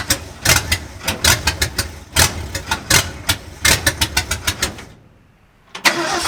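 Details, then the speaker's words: 1965 Ford F250 Camper Special with a rebuilt 352 V8: fires in uneven, stumbling bursts, fades out, then catches again, rough and misfiring with no steady rhythm. Something in the ignition circuit is suspected. "okay the reason it's running like this is because of it something in the ignition circuit"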